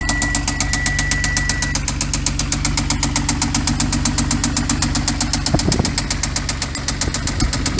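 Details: 2014 Hyundai Genesis Coupe, 3.8L V6 GDI DOHC, automatic, 84,821 miles: a loud, steady knock at about four per second rides over the idle, tracking engine speed; a deep internal knock, likely bottom end, engine done.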